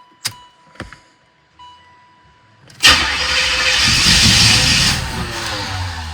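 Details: 1986 Corvette C4, L98 TPI, rebuilt engine, about 132,000 miles, refuses to restart after heat soak; tach filter just added: a few clicks and a tick, then steady cranking for seconds without catching, cause still unknown.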